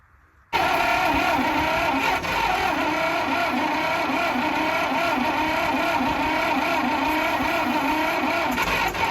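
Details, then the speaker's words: Michigan 35A wheel loader, Continental six-cylinder gas engine after years sitting, fed through a mechanical primer bulb (original fuel pump missing, electric pump not working): catches and runs rough with uneven firing, never a clean idle; fuel starvation, carb bowl full of particles. "we got the uh fuel line hooked up to a mechanical primer bulb cu the original pump's missing and the electric pump does not seem to work"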